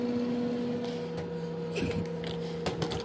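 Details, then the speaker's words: Whirlpool microwave, turntable spins and motor runs immediately when the door is opened, even after cancel, and stops when closed: steady low motor hum with faint higher tone and handling clicks; cause unknown. "I mean, just immediately spinning. Oh, what? And it's making this noise?"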